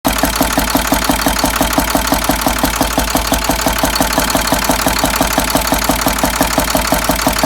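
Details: International DT466 diesel idling with valve cover removed: sharp, regular knock of about three beats per second; mechanical knock, cylinder 5 seems to have a problem, owner fears a bent valve.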